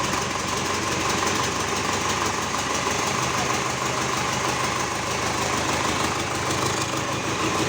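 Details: GAZ 3309 D-245 diesel after repair at idle with even, steady clatter at a constant pace and no missing beats; a normal, healthy idle.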